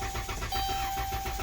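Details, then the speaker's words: Car towed in as a no-start, starter supposedly replaced, battery at 2.4 V so jump-started: starter spins the engine at a steady even rhythm but it never fires; cranks fine, won't start. "so let me get this straight they put a starter on it because it won't start not because it won't crank that's a totally different complaint guys"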